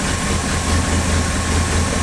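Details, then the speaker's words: 1962 Ford Thunderbird Landau V8, first start after replacing the fuel pump: steady low idle with even pulse, no hunting or stumbling; normal idle. "Good girl. And we're running."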